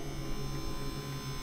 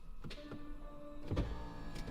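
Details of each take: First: Bugatti Veyron gearbox hydraulic pump: low, steady electric hum that never cycles off, pressure climbing past 70 bar; pump stuck on, sticking relay suspected, not confirmed. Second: Bugatti gearbox hydraulic pump, engine off, pressure falling about 1.5 bar per shift to about 44 bar: soft electric motor hum with steady tone and light thunk as pump cuts in to rebuild pressure; normal pump cut-in.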